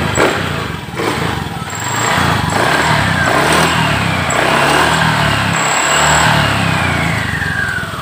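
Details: Honda Beat FI ESP scooter after repairing a loss of ignition traced through its wiring: the small engine ticks over at a steady, even idle with no misfires or stumbles; normal idle.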